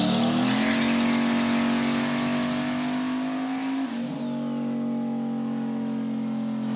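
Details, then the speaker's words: Turbo LS V8 Mustang on dyno under full load, 5 psi on the dome, 6-8 psi boost, run to 6,200 rpm, about 500 hp: loud steady roar with rising whistle, gate stays shut, converter works, no flutter or breakup; healthy. "You heard the gate stay shut, made a little more power. And you heard the converter work."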